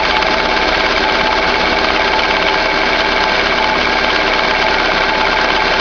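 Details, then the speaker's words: 2011 Chevrolet Classic at idle: constant, bearing-like whirring and light rattle with the clutch pedal released, gone when pressed; release bearing and clutch already replaced, noise persists, cause unknown. "Vou mostrar pra vocês aí um barulho chato que tem no Classic 2011 aí. Você aperta o pé na embreagem, o barulho some, você solta, o barulho volta."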